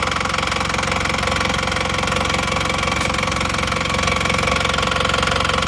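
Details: Engine rebuilt for burning 6 liters of oil in under 2000 km (rings, pistons, pins, connecting rods replaced), warm after about 15 minutes running: steady, even idle, not rough; healthy after repair.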